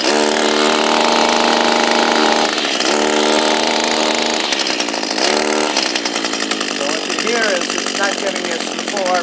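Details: Echo SRM230 two-stroke string trimmer, hard to start and not sounding right when running: buzzy engine that surges and sags instead of holding a clean high rev; a restriction slowing the head or a head needing grease is suspected.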